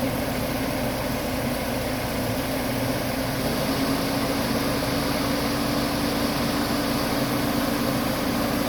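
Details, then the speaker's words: Mercedes-Benz E230 idling with the A/C switched on after an A/C compressor rebuild and replacement of the faulty A/C control unit; steady, even idle hum with a constant airy rush from the front fan and no knocks or rattles. The fan runs normally. "เปิดแอร์ครับระบบทำงานนะครับอ่ามีพัดลมด้านหน้าทำงานปกตินะเหมาะกับเครื่องครับ"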